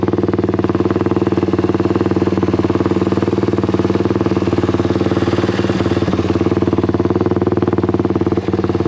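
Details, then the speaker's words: Honda XL175 single-cylinder after fitting an aftermarket replacement muffler: steady thump at about three pulses a second, deeper and even with no misses or rattles; a different, deeper note but barely quieter. "you know like i said i didn't think it was going to be that much quieter it's kind of a different uh deeper sound i wish it was a little bit quieter because i don't know if that's going to really make a difference"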